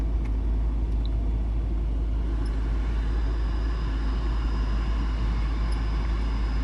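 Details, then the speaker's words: Range Rover heater blower after replacing the final stage resistor under the dashboard: steady even rush of air with low hum, no ticking or scraping; blower fixed and running normally. "it blows really well okay oh okay so that is fixed"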